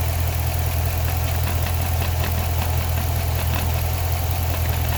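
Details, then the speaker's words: Chrysler 300C SRT Design Hemi, 198K miles on car, replacement engine about 50K, at idle: deep steady rumble with scattered uneven light rattles about three a second; a visibly vibrating part suspected, though noise still heard in engine. "This is what's making the noise. This could be the rattling noise, but I still hear it in the engine, man."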